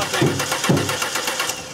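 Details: 2000 Ford Taurus with electronic returnless fuel system: starter spins the engine at an even pace with a couple of dull thumps while the tank is struck, but it never catches; crank no start with no fuel pressure, failed fuel pump.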